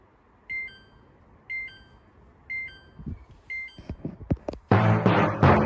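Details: Samsung washer dryer with a dE error: the program won't start and the door lock doesn't lock; four short two-tone beeps about a second apart, then handling clatter, signal the door lock fault.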